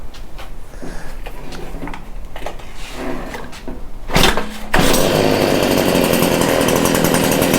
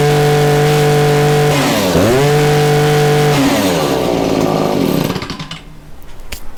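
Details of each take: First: Stihl hedge trimmer, small two-stroke, started on choke after a few pulls with the grimy spark arrestor refitted: muffled, strained steady buzz. Plugged spark arrestor suspected as the problem. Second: Stihl two-stroke hedge trimmer after clearing a plugged spark arrester, new fuel and new spark plug; revs up cleanly, drops and picks up without stumbling, steady even buzz, no dead spots in acceleration, runs as it should.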